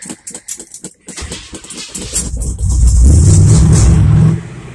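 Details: 1978 Chevy C10 stepside (long bed cut to short bed) with a 307/350 V8 from a 1971 Nova, cold start after sitting a while in the garage: the crank catches, then a deep V8 burble swells into steady revs and settles back; healthy cold start.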